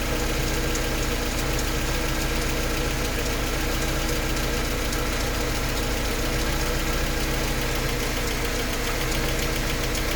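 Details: Mercedes 190E at idle: rhythmic light even tick roughly three to four per second over engine hum; source unknown.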